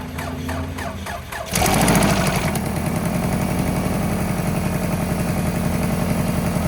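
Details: Cheap used Honda Civic or Toyota Camry, started with booster pack after adding oil (was low): cranks then catches, fast sharp ticking three to four per second over the idle; suspected exhaust manifold leak needing a gasket.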